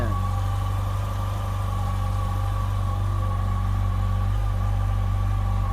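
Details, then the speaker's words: 2007 Yamaha FJR motorcycle, replacement engine on first start after the original died: steady, even idle with smooth low hum and regular pulses, no knocks or misses; owner says it sounds much better than the previous engine. "Wow! Wow! This sounds a lot better than the engine that was in it."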